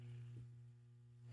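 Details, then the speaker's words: GE/Telechron "H" clock rotor running counterclockwise after reoiling: a steady, smooth, low mains-rate hum; the creaking, scraping sound it made before reoiling is gone. "I was trying to get you to hear that creaking, scraping sound that it was making before I reoiled it. That's no longer there."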